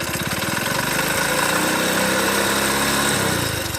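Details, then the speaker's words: Second motorcycle, compared with a healthy one: rough, uneven knocking at about four beats a second over a ragged idle; the mechanic says the engine is totally failed, with all internal parts worn out. "Second డబ్బాలో అయితే engine అయితే పోయింది. Sound అయితే వినండి. Total engine ఖరాబ్ అయిపోయింది అనమాట. Total engine సామాన్ మొత్తం పోయిందనమాట."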